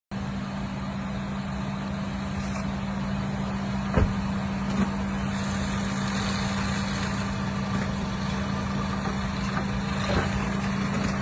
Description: This is the sound of a bad rear motor mount (the one over the rack and pinion) on a 2023 Toyota Highlander.